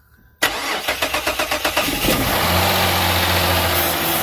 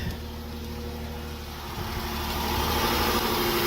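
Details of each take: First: Silver Dodge Charger that quit cranks, then catches and idles only on flammable spray in the intake, despite a full tank. This shows no fuel presence: the fuel pump is not sending pressure. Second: Silver Dodge Charger that won't start, started after priming and spraying flammable liquid into the intake. It runs steady and even with a smooth hum, no misfires or stumble.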